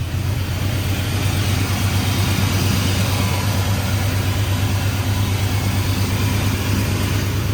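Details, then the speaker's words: Cammed 450hp truck at idle just after a new header gasket and oil change cured an exhaust leak: deep, even, loping idle rumble with no ticking or puffing at the manifold; exhaust sealed, normal idle. "it's all quiet in the engine bay just engine bay noises now so we're all good"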